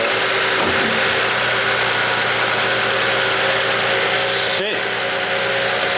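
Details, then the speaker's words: BMW E92 335i, first start after misfire repair with new spark plugs: a steady, even idle with no stumble or skip, partly masked by a loud hiss, smoking; the misfire is gone, a normal idle. "just smoking up a storm in here first start definitely feel better than before"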